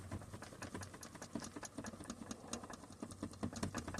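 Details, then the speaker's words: 2002-2006 T1N Sprinter van cabin: fast uneven ticking buzz over low hum from rear view mirror and headliner trim rattling like a reed, excited by subwoofer bass. "if you have a 2002 to 2006 Sprinter van and you're get getting a rattling noise around here take a look at that working like a reed valve a reed flute"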